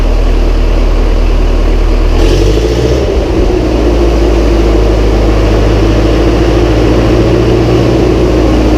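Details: Massey Ferguson 135 tractor first start after oil change, filter and valve adjustment, high-low transfer case in neutral: starts straight up and settles to a steady, even low idle with smooth firing, no knocks, misses or hunting; healthy.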